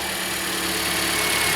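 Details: 2013 Toyota Corolla at 150,000 km idling during a battery and charging test: short steady hum with no knocks, ticks or dips in speed; engine idles evenly and sounds healthy.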